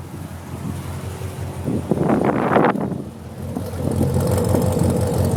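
Uneven idle with an irregular stumble and a rough burst midway rather than an even beat; sounds like a misfire at idle.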